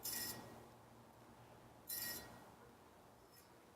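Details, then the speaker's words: Bicycle wheel after replacing a broken spoke nipple: a zip tie used as a truing gauge rubs the out-of-true rim, giving bright scraping bursts about every two seconds as the wheel spins. "the best way to fine tune on the bike itself is gonna be a zip tie and so move it in until it starts to rub now so you'll hear that you'll hear where it's rubbin"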